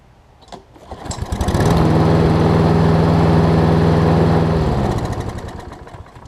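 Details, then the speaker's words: Husqvarna self-propelled push mower after no-spark fix (faulty intermittent switch/cable): engine catches quickly, runs at steady even beat, then winds down smoothly; healthy single-cylinder, idle speed still a bit slow and needs raising. "i still have to speed up his engine a little bit but he just saved himself a bunch of money"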